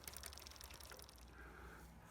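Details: Bicycle rear derailleur after tension and adjustment-screw tuning that cured gear hopping and a rattle: soft, even freewheel ticking and chain whir with no grinding or skipping.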